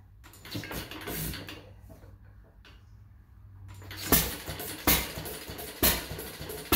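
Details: Fuller and Johnson hit-and-miss engine on its first start attempt after cleaning the mixing chamber, running a 6-volt battery and coil box, with some choke: after a quiet spin, sharp bangs about once a second as it catches, running rough and seemingly rich; mixer and rpm to be checked.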